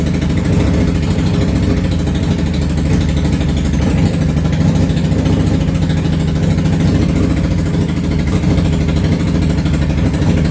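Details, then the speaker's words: Yamaha V-Star 650 Classic V-twin started from completely cold without choke after new fuel lines, pump and carb work; loud, lumpy idle, running on both cylinders but a little sporadic. "okay well it's definitely running and it is running both cylinders a little sporadic I think it just needs to run a little bit honestly is what needs to happen"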